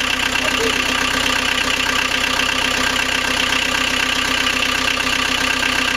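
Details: Rebuilt 1.9L AAZ turbodiesel swapped into a 1986 VW Vanagon Syncro, first start after bleeding injectors, with temporary glow-plug power and cold-start cable pulled: even steady clatter about four beats a second, no misses or knocks; normal idle.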